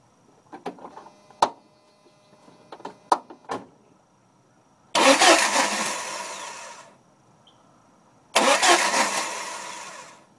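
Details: Jeep Cherokee 2.5L 4-cylinder manual that starts only in first gear and won't start in neutral: a few dry clicks, then two short cranking bursts that die out; owner suspects the starter or the neutral relay switch.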